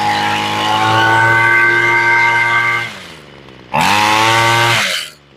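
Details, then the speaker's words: Homelite Mighty Lite two-stroke weed eater, long unused, after carburetor replacement and tuning (idle screw nearest engine, then high screw): high buzzing scream holds steady at full revs, drops off, snaps back cleanly; carb running properly, sounds pretty good. "There you go. And that sounds pretty good."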